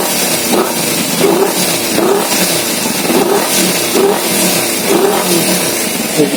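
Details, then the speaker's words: Kawasaki Z250 FI after repair, TPS reading normal at 0.8 and no more thick black exhaust smoke: quick throttle blips each drop cleanly back to a steady idle, with fuel mixture now correct; normal start and throttle response. "respon mesin juga sudah bagus Langsung kembali langsem enak suara mesinnya sudah enak engak gak kayak kemarin ya karena takaran dan bakarnya sudah sesuai"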